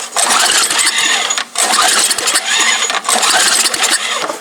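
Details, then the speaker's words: MTD Yard Machine snow blower small engine, sat about a year and a half, cold start with starting fluid and choke: three long fast rough cranking bursts with no catch; cranks but won't start, owner thinks the carburetor needs removing. "Jeez, this thing's a little cold blooded. I have to bring out a jump um extension cord. Spin it over with the saw."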